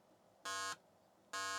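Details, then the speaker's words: 286 PC underclocked to about 646 kHz, below the 1.6 MHz setting where the keyboard stopped working: PC speaker still ticking, two short buzzy steady-pitch beeps about 0.9 s apart; computer not crashed, still running. "we're gonna hear the ticking coming out of it."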